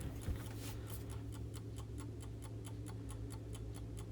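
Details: Vintage Coca-Cola electric clock, repaired and reassembled in its case, with a motor that rewinds about every eight minutes: crisp, even ticks about four a second over a faint low hum; the movement sounds steady and healthy.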